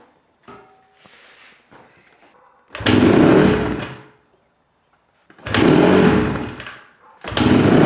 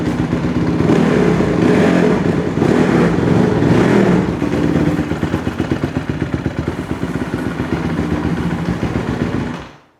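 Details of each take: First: 2008 Honda CRF150R dirt bike with carb trouble: engine catches in loud surges of about a second, then quits, repeatedly; idle is really high and it dies with throttle; owner suspects an air leak, lean pilot circuit. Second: 2008 Honda CRF150RB dirt bike bought cheap with a carb issue; after dialing in the idle and the fuel screw on the bottom of the carburetor it runs right: crisp, even single-cylinder beat pulling cleanly through revs, settling back without stumble or hanging idle.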